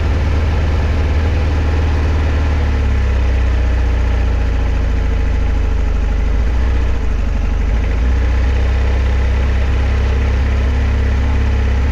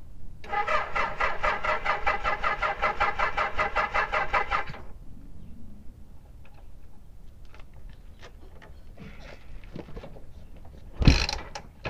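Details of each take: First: 1976 Kawasaki KZ900 started after sitting about 10 months: it fires after a few cranks on fresh gas into a low, slightly uneven, lazy idle. The owner says it needs a good run and probably Sea Foam to clean it up. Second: 1976 Kawasaki KZ900 four-cylinder, sat about 10 months, with fresh gas: about four seconds of rapid, even cranking, then quiet apart from handling clicks.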